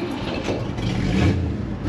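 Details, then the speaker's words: 1957 Pontiac Star Chief V8 during inspection, engine revved: loud, raw, unmuffled bark from a major exhaust leak, practically open exhaust; engine itself runs very smoothly, regular, no vibration. "Donc ça va vraiment faire du bien à la voiture, faire du bien, parce que ce bruit actuellement il est affreux, quoi. L'échappement libre, ça ne convient pas du tout à une voiture comme ça."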